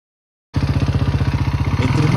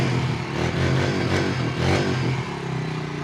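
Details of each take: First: 2006 Honda Rancher 350 4x4 single-cylinder engine: hard clattery beat of about thirteen pulses a second, louder as it revs, with heavy smoke; piston slap from a badly scored piston and worn cylinder, fixed with new cylinder and piston. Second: 2006 Honda Rancher 350 4x4 ATV single-cylinder engine after a new cylinder and piston and a valve adjustment; it blips the throttle a few times, then settles into a smooth, even idle with the earlier strange noise and smoke gone.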